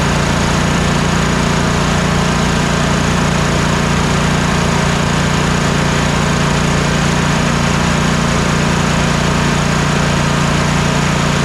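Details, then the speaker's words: Troy-Bilt Mustang RZT zero-turn twin-cylinder mower after ignition coil replacement, steady even drone at constant speed with no misses; both cylinders now firing, normal running. "anyway you can just hear the difference as the as the mower is running that both cylinders are now working"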